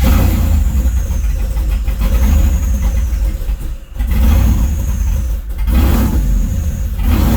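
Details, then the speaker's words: Circa 1972 Chevrolet C10 with 5.3 V8, stage 2 cam, LSA supercharger (about 5 psi), 03 Silverado PCM, running a startup tune, warm: idle sags and picks back up every few seconds, hunting; tune suspected, not confirmed. "and it just it'll keep hunting for itself here in a minute once it warms up it starts hunting and starts chasing itself it'll dip down and then come up and get down and come up barely run doesn't want to rip"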